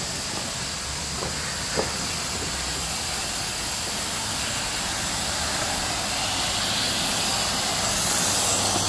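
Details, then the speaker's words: Used Tsugami SS20 Swiss CNC lathe with bar feeder, air connected before first power-up. Steady high airy hiss over a quiet shop background, from a small compressed-air leak around a gauge, with air heard going through the bar feeder. "you have little small air leaks, like I have one around that gauge right there."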